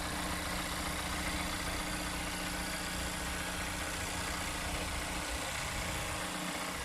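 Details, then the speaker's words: 2017 Mazda CX-9 idling, recorded with the hood open during an inspection: smooth, even, steady low hum with no knocks, ticks or misses, no fumes or exhaust leaks; normal, healthy idle. "engine sounds smooth there are no fumes or gas going uh coming up anywhere so that's good"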